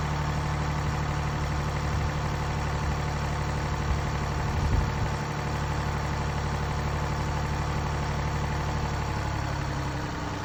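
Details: Mini Cooper D three-cylinder diesel at idle: uneven low clatter underneath, roughly four beats a second, from a broken dual mass flywheel, which holds the clutch springs and fails through wear and tear; juddering after lifting the clutch is described.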